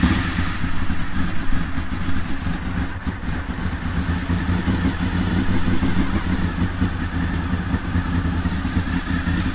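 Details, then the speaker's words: Honda VFR800 motorcycle started right after an oil and oil filter change, oil level about halfway in the sight window: steady, even idle with low rumble, no knock or rattle; oil light flashed on briefly; normal healthy idle. "Let's give it a start. See how she goes, see what she sounds like."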